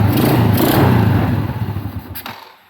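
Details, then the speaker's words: Honda EX5 single after carburetor refit and new fuel filter: rough thumping idle for about two seconds, then fades and dies; only runs with choke pulled; owner suspects a clogged pilot jet. "Dia ni aku rasa sebab pilot jet lah. Pilot jet tersumbat. Memang angin tak ada lah. Tapi kalau tarik cok boleh start."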